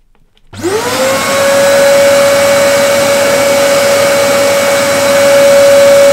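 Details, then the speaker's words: Vacuum cleaner after repair, previously screaming like a jet plane: motor spins up within a second to a steady high hum with even rushing airflow, much quieter; running normally. "I might have just saved myself 120 euros that's a lot quieter yeah that's manageable I can handle that"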